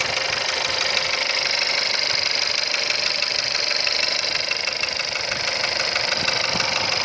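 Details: 1.2 CJZC engine, cold idle: sharp, regular metallic tapping at about three a second, a dry mechanical knock from an unclear source. Cold-start engine knock.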